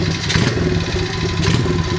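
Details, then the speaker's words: 2003 Honda XR50R 50cc single at idle: light rhythmic tapping on each firing beat, only at idle, louder on the right side; owner believes it comes from transmission or crankshaft/clutch area rather than valvetrain, cause unclear. "the nature of the sound is that it happens only when the engine is idling it's a rhythmic tapping and I believe it's louder on the right right side of the engine"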